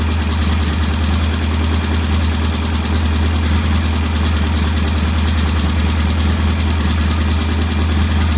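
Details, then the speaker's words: Norton P11 competition motorcycle on its first start after repairs, idle set to 1,000 rpm: a smooth, even twin-cylinder idle with a steady low beat and no knocks or misses. Normal idle. "And uh, it's a competition bike, so I've set it at 1,000 RPM idle. It sounds nice. Uh, sounds good."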